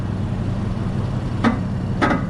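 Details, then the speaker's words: BMW F82 M4 on air suspension, aired up, wheel turned side to side while parked: two short clunking creaks over a quiet low rumble, coming from the steering rack; rack to be replaced. "Yeah, so that noise you're hearing, it's coming straight from the steering rack."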